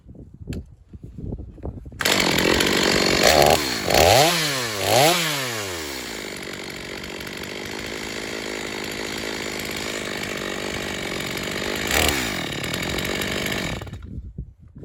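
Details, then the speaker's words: Stihl MS250 chainsaw test cut after a carb tuning job for not restarting when warm; tuned rich for break-in, possibly slightly low compression. Sharp blips, then a strong, steady high rev through the cut without bogging, a touch rich. Normal running under cutting load. "we got the ms250 tested um I've got it tuned pretty rich and he's definitely going to have to bring it back a couple of times as it breaks in"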